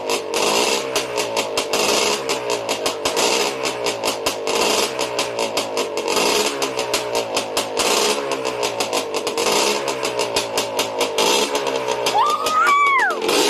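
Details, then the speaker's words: Yamaha Blaster two-stroke at first start after rebuild: crisp crackle idling then revving cleanly, pops staying regular with no knocking as revs rise; engine healthy. "he's idle the blaster lives again and there's no knocking"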